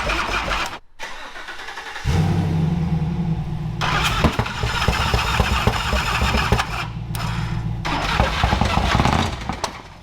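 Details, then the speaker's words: Toyota FJ55 Land Cruiser engine cranks, catches and runs unevenly with a hard knock tapping through at idle; has plenty of compression, so a worn bottom end is suspected. "Yeah. Knock there. That's bottom end. Is it the bottom end? Mhm. We're thinking that it's the bottom end cuz it does not sound bueno."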